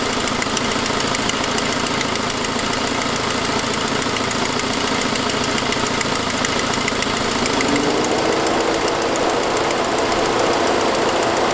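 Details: 2006 Saab 9-5 at idle: steady tick around three per second over the idle, first thought lifter, found to be an exhaust leak from a broken forwardmost exhaust stud; ticking at idle.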